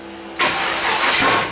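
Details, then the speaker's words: Turbo Nova, hot at operating temperature, restarted without pump shot: catches with a sudden harsh bang instead of a clean spin-up; starter kickback caused by the ignition box not being phased correctly. "i don't know why it does that kickback [Music] all right so the issue that was with my ignition box and then i didn't have it phased in"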